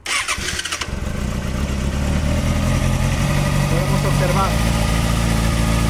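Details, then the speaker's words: 2007–2008 Kawasaki Ninja ZX6R 600cc engine, bike crash-damaged but engine intact: quick crank, clean start and steady idle with no valve, timing-chain or metallic noise. Compression is 10 kg, no white smoke. Engine in good condition. "la parte inferior y la parte superior del motor suenan bien bastante bien"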